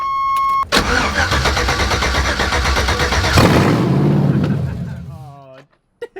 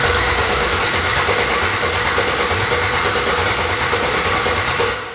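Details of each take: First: 1987 Chevy S10 with LS swap, open headers, restarted after sitting six months; earlier it idled very high. Quick crank, a loud catch, then revs fall smoothly to a steady idle around 900 rpm; normal idle. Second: LS-swapped Chevrolet S10, first open-header start on a bucket fuel supply: steady rhythmic cranking around three beats a second that never catches; it turns over but something is missing.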